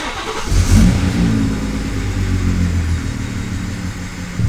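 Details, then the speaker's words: Car with newly installed Pure 800 turbo and freshly flashed custom tune, first startup, no codes stored: engine catches, flares briefly, then settles into a low, lumpy idle below normal; cause not found. "why is it idling so low let's go check it out"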